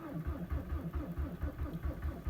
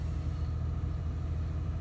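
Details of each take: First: 2003 VW Jetta ALH TDI, 214,000 km, all original, cold start at -19 to -20 °C after sitting overnight with about 20% biodiesel; slow even cranking with faint firing puffs, no start after glow plug cycles; owner suspects biodiesel gelling. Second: 2007 diesel truck, 12 years old, 167,000 km (just over 100,000 miles), low on fuel, sat overnight at about -20 °C; fires right up into a low, steady, even idle with no knocks or misses.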